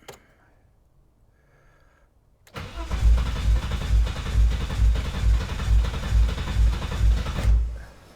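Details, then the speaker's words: BMW E30 325i forest find, not run in years; starter cranks steadily about two turns a second for five seconds without catching; fuel starvation from clogged injectors, which are then removed from the fuel rail for cleaning. "let the surgery begin yep we're taking off the fuel injectors and we're going to clean them out"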